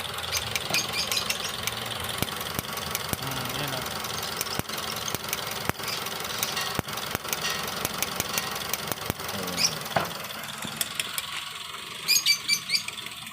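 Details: Toyota Vios at idle: sharp, fairly regular snaps about twice a second over a light engine hum, a misfire caused by the ignition coil arcing (leaking spark).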